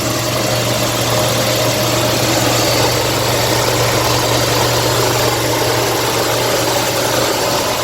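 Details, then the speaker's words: 1957 Lincoln Premiere V8 first start after six months unused: smooth, even idle with slight ticking heard, normal after long storage; charging and oil pressure good. "we got oil pressure now the engine sounds pretty good let's go listen here we are ticking away if you guys can hear it but it sounds pretty smooth right now"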